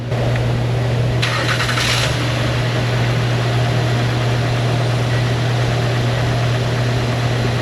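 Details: Honda Ridgeline engine first start after a customer-requested timing belt and water pump job, with almost 2 gallons of coolant refilled. It fires quickly and settles into a smooth, even idle with a steady low drone and no knocks or squeals; normal start and idle.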